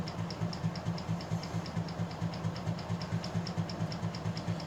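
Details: Plantation Fan Company 48-inch ceiling fan with universal motor, running at about 7400 CFM: even, rapid low thumping with a tick on each beat, roughly six per second, over steady air rush; stationary shaft had come undone, rattling loose.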